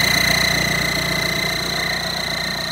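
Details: Audi A6 with the EA189 diesel at idle. A steady high-pitched whistle rides over the clatter, first suspected to be the EGR valve. The actual cause was a snapped stud on the exhaust manifold, letting exhaust whistle out through the gap between manifold and block.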